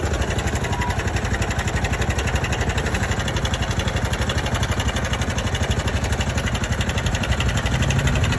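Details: Honda Super Cub JA44 at 57,291 km, during work on an abnormal engine noise: steady, even single-cylinder idle with a quick regular beat around four per second and no knocking; normal idle.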